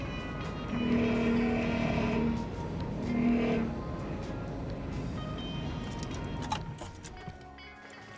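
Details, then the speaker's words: 2002 GMC Safari AWD after new steering gear, hardlines and steering fluid filter, first start on ground: harsh wavering whine pulsing with load; reservoir suspected run empty briefly, air in system, later bled with van lifted. "That sounded awful. All right, we got the van in the air this time and we're going to try that again. I think we accidentally ran the reservoir empty for a little bit, which is terrible."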